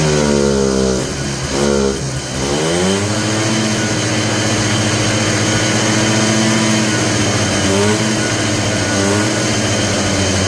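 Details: Polaris Trail Boss 250 two-stroke ATV (titled 2000, owner guesses 1988 or 1992), just revived. Revs sag and surge unevenly with no steady idle. Owner suspects the carburetor idle circuit is still plugged. Smoky exhaust.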